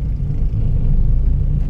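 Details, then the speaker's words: Toyota Vios taxi driven at only about 30: deep steady growling drone like an airplane, felt through the floor; worn wheel bearing. "kung matulin nito Hindi lang niya ang tunog niya parang yung eroplano yan"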